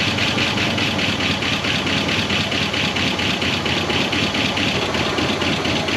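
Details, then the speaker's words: 1969 Buick Wildcat V8, barn-stored 26 years since 1998, idling after its first revival with coolant very low and the water pump weeping: even, steady idle with busy top-end chatter but no knock or misfire; engine sounds healthy. "but this thing is alive and it is a runner and it sounds pretty darn good"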